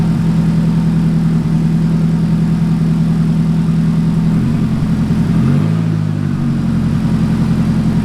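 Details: Nissan 180SX engine being checked after an accident, first run on a new Walbro 255 fuel pump replacing a failed AEM pump: steady even idle drone with a brief dip and blip of revs before settling; running normally.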